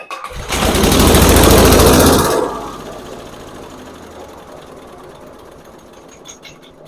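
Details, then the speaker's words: Briggs & Stratton 8hp engine on a Snapper SG8000 chipper shredder, barn-stored about a decade: on carburetor cleaner sprayed into the intake it catches and roars about two seconds, then dies, confirming a fuel problem between the tank and the carburetor. "now well that settles it we have a fuel problem somewhere somewhere between the gas tank and the carburetor we have an issue"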